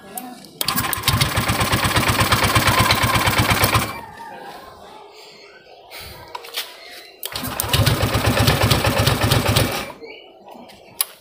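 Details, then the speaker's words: Honda Vario 150 keyless scooter that suddenly died, fuel pump pressure normal around 40: engine cranks in two long bursts of steady chugging but won't run; smoke from the head suggests a leaking cylinder head gasket losing compression. "Hai dari head ini keluar Asep Masbro ini kalau dari head ini keluar Asep itu kemungkinan dari paking pakai Silinder Kop itu ada yang ngepost"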